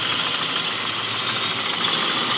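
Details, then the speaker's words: 1997 Toyota Kijang Grand 5K carburetted engine, fixed after stalling/no-start problems, is warming up at a steady, even idle with a smooth hiss on top and no knock or misfire, running normally before the distributor (delco) replacement. "a&g teman-teman ini udah hidup normal seperti ini ya nanti paling kita lanjut untuk acara penggantian delco apa delco Kijang 5K ya"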